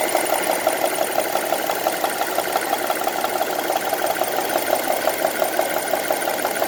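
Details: 2002 Honda CR-V petrol engine ticking at idle on 10W40 oil: a steady light tick about three times a second over an even idle. The cause is not identified.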